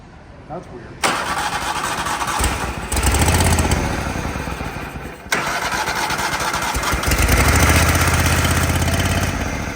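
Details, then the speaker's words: Toro Wheel Horse mower with power steering: engine fires into a rough, uneven run that keeps going only while the starter stays engaged. "So, if I hold the starter engaged, it'll stay running."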